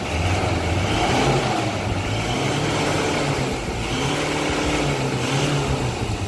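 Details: Ford Ranger T6 diesel revving after a mechanical 41 mm turbo swap, with turbo step motor and EGR valve disabled and a new remap; it pulls up and settles smoothly with a steady low drone, no flutter or hiss. Sounds healthy, underboost/heaviness resolved.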